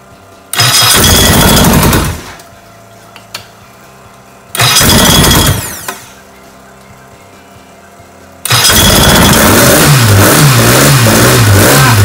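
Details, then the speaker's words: Rebuilt 1380cc Sprite/Midget race engine, billet steel crank, six-inch rods, forged flattop pistons, about 13–14:1 compression, race gas, on test stand cold; sharp throttle bursts twice then steady hard-edged rev; crisp even firing, timing being advanced gradually due to cold. "man say we're having to sneak up the timing because it's so cold"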